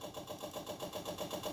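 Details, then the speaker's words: Custom pulling tractor with a 500cc Honda motorcycle engine, long-sitting: uneven, stumbling, loping idle pulsing about seven a second; rough running from water- and rust-contaminated fuel. "look at that color though that's a little rough there's definitely water in it"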